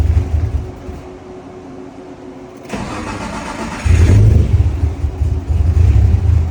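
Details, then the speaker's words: Nissan R34 Skyline, RB25DET NEO, stock internals, full bolt-ons, turbo, about 500HP build, first start after two years; deep uneven loping burble at idle with a brief throttle blip; lumpy idle that sounds healthy. "Sorry you got the lumpy idle. Sorry you got the lumpy idle. Sounds so good."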